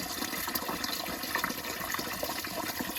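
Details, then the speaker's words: Home hot-water boiler heating loop being purged: steady rush of water through the pipe with a faint bubbling gurgle on top; air still trapped in the heating pipe. "You could usually hear the gurgling in the water, too."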